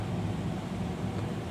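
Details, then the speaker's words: Carrier furnace in attic, seasonal startup, blower on low speed for heat: smooth constant low rumble of burners and blower with no rattles or surging; running normally. "not too bad and again the the air goes through and through that pipe for the burners and then goes out that way to the roof okay and this one's running great"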